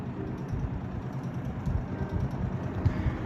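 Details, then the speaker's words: 1969 GE W25 box fan, out-of-balance repaired blade set: low hum with uneven fluttering rattle, rattling against the table it sits on as it comes up toward medium speed. "You can hear it rattling against the table there, and you may not be able to see it, but I can see the table rattling a little bit."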